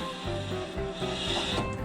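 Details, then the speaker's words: Vehicle with Dana 41 rear axle on jack stands, neutral, passenger rear wheel spun by hand: rough rhythmic scraping grind first suspected as differential, actually dragging emergency brake with overly thick pads despite adjusters fully backed off. "is in fact the emergency brake. That was a very frustrating problem that I kept running into and I thought it wouldn't be all that bad later on."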